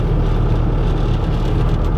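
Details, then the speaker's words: Stolen, abandoned Ford F150 EcoBoost twin-turbo, in-cab while driving about 55 mph: heavy low droning rumble throbbing unevenly; bad vibration of unknown origin. "yeah boy it vibrate oh my wow that vibration that's pretty bad that is you can hear it"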